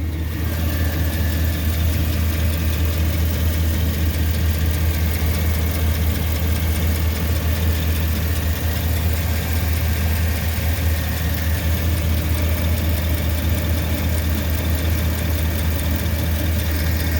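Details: 2009 Chevy 2500HD 6.0L V8 idling with a faint regular tick and puff over an uneven rumble, misfire on cylinder 5 (P0305) despite new plugs, coil and injector; found a stuck exhaust lifter on cylinder 5, a bad flange gasket and a cam bearing stuck on its journal.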